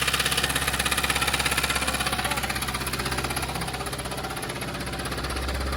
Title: Engine sound problem done ✅ #automobile #mechanic